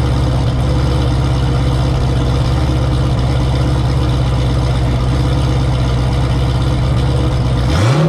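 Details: Turbo Camaro ("Cowmaro", 1200hp) V8 first fire in a while after engine was out, fresh oil, warmed to operating temperature with coolant about 190°F; deep even lopey idle with no knocks or ticks, then a quick clean throttle blip. Normal idle.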